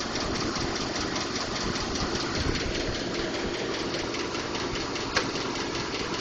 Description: Ticking or knocking noise. Currently this has been diagnosed as "normal" from Ford.